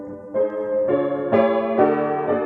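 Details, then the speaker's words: 1924 Bord 160cm grand piano before restoration: chords and notes ring sour and wavering, strings beating against each other, from loose tuning pins; underlying tone is lush down to the bass. Soundboard is cracked, and a plank replacement is planned. "sorry it's a bit of a pain to listen to this but the underlying tone right down to the base is very lush and beautiful so it's going to turn out an excellent instrument"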